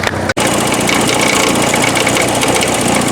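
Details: 1984 Porsche 944 running again after about four years, idling with hood up: loud, harsh metallic rattle up front like quarters in a dryer, near the timing chain area just worked on; something loose, cause unknown, engine dies on throttle.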